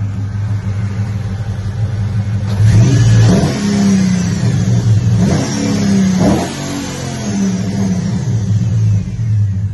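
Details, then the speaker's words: Ram Daytona engine revving after replacing noisy pulleys and fan clutch, which had made an airplane-like noise: revs climb and fall cleanly with no squeal, chirp or rattle; engine sounds healthy. "and this is how it sounds after the the pulley and the clutch no more noise"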